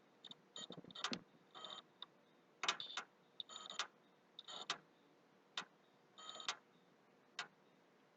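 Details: PS3 that is very slow to start and restart, with the hard drive already formatted. Irregular bursts of sharp clicks near the HD come and go every second or so; the noise stops and returns. Clicking noise, cause unknown, owner suspects hardware.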